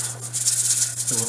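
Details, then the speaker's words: Weight-regulated pressure canner heating up while canning potatoes: steady hiss of escaping steam, then the weight begins a light rattling jiggle as it reaches pressure. The canner is holding pressure with a good seal, so the heat can be turned down. "so any second now that thing's going to start jiggling up the pressure according to the gauge you can hear the sound change right before it starts there it so now we can turn the heat down because we don't need much heat to be able to maintain the pressure open here on out"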